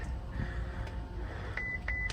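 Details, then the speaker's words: Ferrari California T, after an immobilizer issue and only tyres aired up: a few short, evenly spaced high beeps in a quiet cabin, the ABS failure warning; codes read include recirculation pump, brake light switch invalid signal and lamp communication. "yeah ABS system faded next up plug the Diagnostic in let's just see what case that brings"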